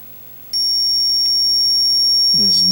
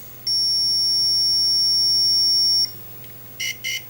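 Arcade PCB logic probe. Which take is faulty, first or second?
first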